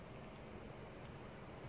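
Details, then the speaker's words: GTX 980 Hall of Fame Edition under full load in FurMark at max settings, 1080p: low steady fan rumble with no coil whine. "okay this is a video to the guy who keeps complaining about coil wine on a gtx980 Hall of Fame Edition um I have here furmark Max settings 1080P and I am hearing no coil"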